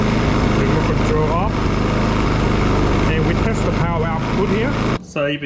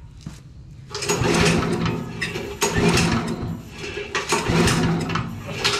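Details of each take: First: Petrol inverter generator started after service, reading 231 volts: engine holds a steady, even beat with no hunting or stumbling; running normally. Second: Petrol engine on a job-site generator or saw, with choke on and starting spray used: repeated pull-cord cranking bursts, it turns over but never catches. The spark plugs are to be checked next. Engine cranks but will not start.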